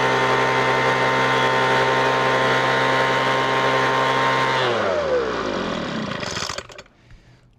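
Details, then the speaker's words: Weed Eater FB25 25cc two-stroke blower, non-runner, primed with fuel, throttle open and choked: steady high buzz for about four seconds, then the pitch sags and it dies out; owner thinks it may need maintenance and cleaning. "that went too terrible. Let's see if it fires back up. It might need to need some uh maintenance and clean up."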